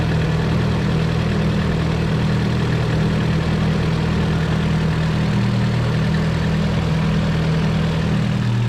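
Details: 240 idling right after start to check a newly installed oil temp sensor for leaks; none seen, and the sensor reads. Deep, steady idle with an even, unbroken rumble and no misses or knocks; idling smoothly and healthy.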